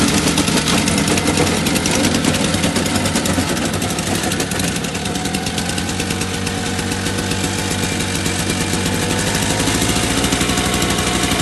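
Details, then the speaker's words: Two-stroke electric-start snowblower, primed and started on choke, after new paddles, throwing light snow: steady even fast patter under light load, no misses or surging; running normally, better than before. "it's definitely working better than it did so that's awesome"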